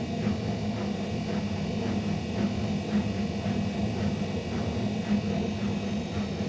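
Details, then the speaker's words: Ariston washing machine during spin: a deep, steady roar like a train or plane, with a regular swishing or rolling beat about twice a second. Loud spin noise, cause not yet determined. "Как поезд, как самолет такой звук, да? Как самолет, это точно."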